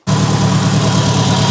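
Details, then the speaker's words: Mitsubishi Evo 8, first start after restoration with new ECU, plugs and coils: low lumpy idle with uneven throb, cylinder 1 not firing; test light shows injector 1 gets no power, an injector wiring fault. "ector plugs cylinder 1 is not firing hm so it's either going to be a coil a spark plug issue injector issue or of course a dead cylinder issue"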